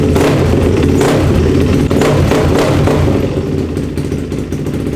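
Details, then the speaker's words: Yamaha YZ450F supermoto build, first start after carb cleaning: loud, raw single-cylinder bark with steady fast beat and blips, firing evenly; running normally. "All right. That sounded not terrible. It worked. That's sick."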